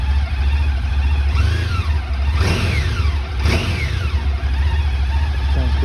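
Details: 2009 Honda ST1300 motorcycle with 30,000 miles, idling in neutral on the center stand just after an oil change, oil light gone out: smooth, even low idle under some passing traffic, no ticks or knocks; normal idle.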